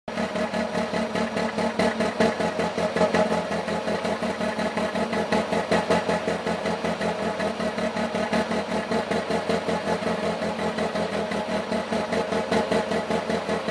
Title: Rough Idle on Alfa 156